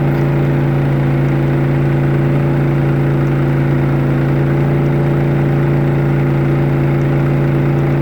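Steady, even drone with a firm low hum, no hunting or misses; a healthy inverter generator carrying a moderate load.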